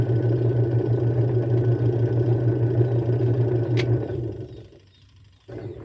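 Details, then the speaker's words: Twin-tub washing machine wash motor: low steady hum with light rattle, won't turn or spins weakly unless helped by hand, then cuts out; cause a failing capacitor, to be replaced. "Kung narinig niyo mga guys ah hindi siya umiikot pero umuugong siya. >> Ayan. So ayan mahina umikot. Kailangan mo patulungan."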